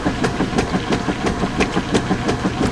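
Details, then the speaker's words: Steady agitation strokes about three per second, each ending in a soft clunk, from a direct-drive washer loaded with 10 towels; a normal quirk of this machine, nothing wrong. "still clunking pretty good today but I've said many times that each machine has its own little Nuance its own little thing about it right"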